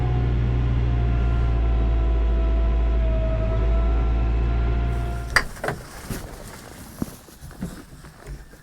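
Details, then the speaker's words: Kioti RX7320 diesel tractor, true cold start in freezing ice-storm weather: steady deep even idle for about five seconds while warming up, then it stops and only clicks remain. "i'm gonna let this tractor warm up for about five probably ten minutes"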